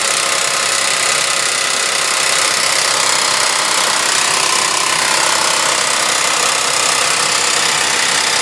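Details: Suzuki Vitara V6 petrol idling: harsh metallic rattle with loose clatter about three times a second; owner attributes it to the timing chain and later replaces it.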